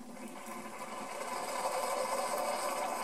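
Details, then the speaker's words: Keurig K40 coffee maker after a not-heating repair: a soft, even buzzing whir builds slightly and holds steady as the pump fills the internal reservoir before it signals ready; normal pump fill. "there we are looks like it's filling up its reservoir the internal reservoir here not this one and according to this it's ready to go"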